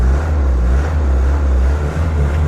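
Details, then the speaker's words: Mercedes W115 /8 220D diesel idling after a hard start while parked uphill (owner suspects fuel pump pressure or weak pre-glow). Steady low rumble, even and unbroken with no misses or knocks: settled, clean idle. "idling perfectly well. So let's go."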